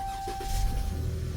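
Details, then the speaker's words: Dodge Challenger with a suspected failing fuel pump, key on: a thin pump whine after tapping the pump, then the engine briefly catches with a low rumble and stumbles. The pump only woke up for a split second, not a fix. "So, I magically woke the pump up. Can you Is that a word? Woke it up. I magically disturbed it enough or made it vibrate enough to operate for a split second."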